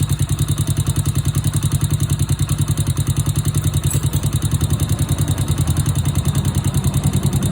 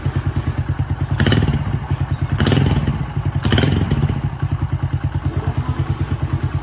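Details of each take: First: Honda Wave/C70-type motorcycle engine after replacing the cylinder, piston, rings, cam chain, chain tensioner/guide and oil pump gear. A quick, even ticking, about three per second, over a steady thumping idle: valve noise from loose clearance, which is then adjusted. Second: Honda Wave 100/125 motorcycle with a crankshaft that rocks side to side, after a new cylinder, piston, rings, cam chain and tensioner, valves set by feel: steady, even low putter with a regular beat and a few brief thumps. Normal idle.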